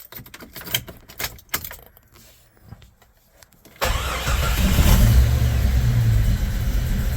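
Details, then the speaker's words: 1996 Jeep Cherokee XJ skipping timing and losing power; lumpy idle with uneven chuff about four per second, timing mark jumping 10–15 degrees and worse with rpm, owner suspects slipped timing chain: misfire. "can see it runs but if you look down there you see my timing mark just kind of jumping around everywhere so it's just not being a very consistent"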